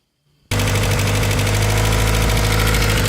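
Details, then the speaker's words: 1992 Plymouth Laser RS Turbo after rebuild, with more fuel added and the cam angle sensor loosened for adjustment. Engine catches, then runs loud with an uneven, lumpy beat near four pulses a second; improved, with the previously dead cylinder now firing. Cause unknown. "well as you can hear it's still running like [ __ ] but an improvement"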